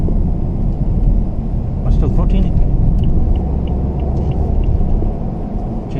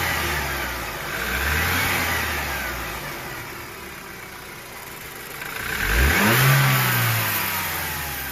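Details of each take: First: 2013 BMW F30 320i M Sport xDrive, 2.0L N20 turbo petrol, driving after the turbo was replaced: even engine and road rumble with no whine or whistle rising with revs, virtually no noise, healthy. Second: 2013 BMW F30 320i M Sport xDrive, 2.0L N20 turbo petrol, before turbo replacement: a thin whistling whine climbs over the rev pulls as the engine rises and falls, pointing to a seized, failing turbocharger.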